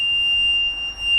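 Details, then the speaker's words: Mercury 300 LX outboard that has lost engine communication with the gauge: at key-on the hydraulic pump runs and one steady high-pitched warning beep sounds, but the engine doesn't crank or start and no fault code shows. "Alright, I get the beep noise, but the engine won't start."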